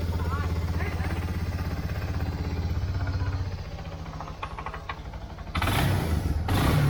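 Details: 1999 Yamaha Bear Tracker 250 ATV after fuel flush and carb cleaning, Seafoam in float bowl, choke off: even single-cylinder putter about four beats a second with a brief throttle blip; runs steadily, smoke from Seafoam burning carbon.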